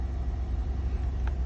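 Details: Chevy/GMC V8 truck idling after a P0178 fix, new flex fuel sensor and fuel filter installed, fresh oil change: deep even rumble at steady idle with no misses, ticks or knocks; running smoothly.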